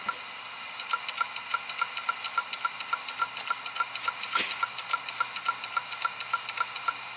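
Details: Dell Inspiron 530s desktop hard drive making sharp, steady ticking about three or four times a second over faint hiss, computer stuck at boot screen; owner suspects platter or other drive damage; clicking hard drive.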